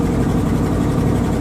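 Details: 1979 Dodge 100 truck, cold engine on high idle about 30 seconds after start, after a choke fix: deep, steady, slightly raised idle with an even beat and no misses. Warming normally on the choke.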